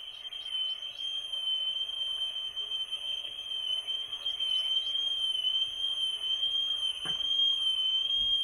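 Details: Small vintage tape recorder playing a 3000 Hz test tone, measured by software through a microphone on the 4% scale: about 1.1% RMS, peaks near 2%. The steady tone warbles constantly and quickly in pitch; severe wow and flutter.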